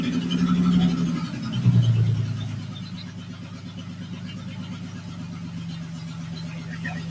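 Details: Honda J-swapped Porsche 914 on first startup: after a rev, a rough, uneven clack about three times a second under a low rumble; heard on the passenger side, owner wonders about a loose bolt, cause unclear.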